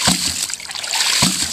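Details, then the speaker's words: Rife Ram 20 ram pump, 2 in drive pipe from dam, ~87 ft lift, after gasket replacement, adjustment set about 3/4: sharp splashing clack every 1.1 seconds, even, water rushing between beats; normal automatic cycling. "And all automatic from the 2 in pipe out of my dam. Can't beat this folks for pumping water. Fully adjustable."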